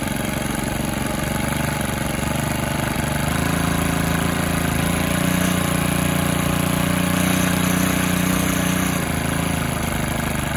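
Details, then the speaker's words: Stihl FS 110R 4-Mix trimmer that would not idle down and ran wild, run on the bench after a new clutch kit and spring: now settles to a steady, even idle with no hunting. "we got the little old steel uh four mix going one more time this thing idle's pretty dead coming good now"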